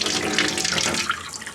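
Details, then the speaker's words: Well-pump cabin after its spring refill, water heater now full, hot tap open with no aerator: a smooth, even hiss of running water with no sputter. The lines are purged; normal steady flow. "and a nice steady stream. That means the hot water tank is filled."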